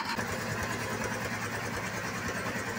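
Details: Suzuki Multicab F6a after timing belt replacement, test run with timing cover off and pulley temporarily fitted: even idle, about two beats a second with a light steady whir from the open belt drive; healthy engine, no slap or ticking.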